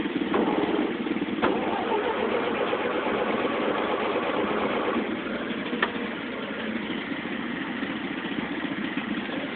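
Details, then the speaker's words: Engine at 1,863 hours, battery boosted, turns and stumbles unevenly for several seconds without catching; hard start, owner suspects fuel is not getting up to the engine. "no oh [Music] no fuel's not getting up to it"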